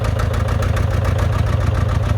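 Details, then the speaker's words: John Deere 830 Industrial two-cylinder diesel, first run in at least 20 years, started via belt pulley from another tractor. After running on one cylinder it now fires on both, with a steady, even thump, normal running. "Did you hear that? It's a lot smoother now. So that number one cylinder is firing now."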